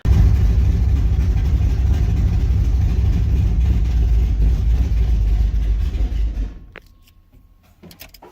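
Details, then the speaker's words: V8 "Jack Black" with EFI using a MAP sensor: deep, lumpy, loping idle that hunts unevenly before cutting out; owner suspects the cam has too much overlap, logging only about 3.8–4.2 inHg vacuum at idle versus the recommended 6. "what I think it is is the cam has way too much overlap or basically it just uh doesn't make enough vacuum at idle this cam"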